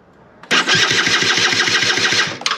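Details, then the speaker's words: SR50 DiTech scooter, long-running fault, battery already replaced: the starter spins the engine briskly at about ten compression pulses a second but it never fires. No spark; a sensor or circuit fault is suspected. "no spark"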